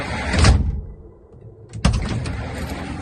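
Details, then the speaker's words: GAZ Sobol 4x4 sliding side door, knocking over speed bumps due to wear in the oval mounting holes: heavy slide ends in a hard thud and another clunk while the mounts are being adjusted, not yet seating softly. "Вот это мое предположение, что именно из-за этого, из-за наклона, из-за когда колеса переезжают полицейского лежачего, машина же все равно, автомобиль кренится в какую-то сторону. И вот это вот отвечает за вот этот стук."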